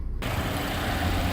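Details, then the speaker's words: 2016 Volvo XC60 T6 Drive-E idling from a cold start, heard from the front of the engine bay: a smooth, even low hum with no ticks, knocks or squeals. Normal cold idle. "so here at the front of the vehicle you can see the engine running quite happily off of a cold start no strange noises"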